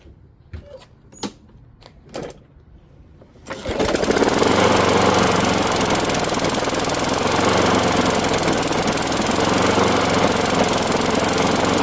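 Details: Craftsman Gold mower, Briggs Quantum 6.75 engine, after replacing plug with new aftermarket plug: handling knocks, then fires and settles into steady even drone, no hesitation; earlier hesitation gone, carb issue ruled out, running normally.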